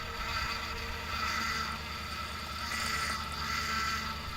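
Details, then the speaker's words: Steady high whine over engine hum, swelling as the steering is turned; suspected low power steering fluid, damaged pump, or air entering the circuit through a gasket or O-ring, unconfirmed. "este sonido suele ser porque hay un bajo nivel en el aceite de la dirección también puede ser que la bomba esté dañada o le esté entrando aire al circuito por algún lugar por algún empaque o por algún orring"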